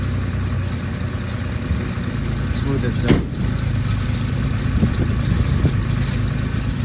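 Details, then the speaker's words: 1942 Chevrolet pickup, frame-off restored, original 216 six with 3-speed floor shift and cherry bomb muffler: steady low even rumble with mellow exhaust note, no knocks or misses; normal healthy idle. "with a little cherry bomb muffler on it, so it's got a nice sound to it."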